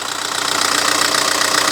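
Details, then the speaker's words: VW Touran MkI 1.9 TDI diesel idle after replacing accessory belt tensioner: steady even fine diesel clatter, no clanking, belt no longer flexing; running smooth and healthy. "Sweet. Yeah, no clanking now. Running nice and smooth."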